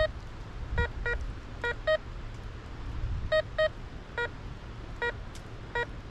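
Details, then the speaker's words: RM RICOMAX 1022 metal detector in discrimination mode with nail rejected, swept over a nail: occasional short tone beeps at uneven gaps over quiet hum, not repeatable; normal rejection. "You're getting like one beep. It's not repeatable, really."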